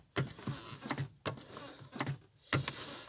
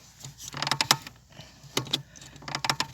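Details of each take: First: Lada Granta clutch pedal pressed after lubricating with WD-40: three soft strokes with dull thumps and only a trace of the former squeak left, nearly gone. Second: Lada Granta clutch pedal: dry rapid creaking in short bursts each press and release, from the pedal return spring; spraying WD-40 on the spring and linkage reduces the squeak.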